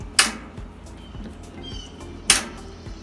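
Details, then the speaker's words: Scrap used washing machine in diagnostic mode with the lid stuck locked: two sharp clicks about two seconds apart with faint ticking between, the lock trying but never latching; the lid lock has failed and needs replacing. "see it's not working they click click click so we know it needs a lid lock"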